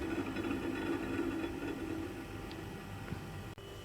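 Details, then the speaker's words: DIY refrigeration system charged with R600a: quiet, steady low hum without rattle or surging, refrigerant likely boiling off, compressor only slightly warm; normal compressor running. "now it's making a funny noise that sounds like the freezer that we've got silver listen I think I've probably refrigerant just boiling off"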